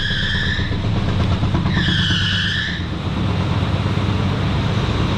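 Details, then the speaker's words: 1985 Buick Riviera 5.0L 307 V8, at idle: deep uneven idle with a loose rumbling rattle from a busted muffler plus short belt chirps; no motor knock, engine runs well. "You hear that noise? That is actually the muffler. And the belts."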